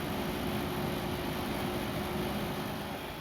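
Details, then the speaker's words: Desktop PC with Pentium dual-core under the CPU fan and GT220 graphics card, case open: loud constant airy rush with faint steady hum; cooling fans very noisy. "It is having a Pentium dual core right under that fan and a GT220, and it's making a lot of noise."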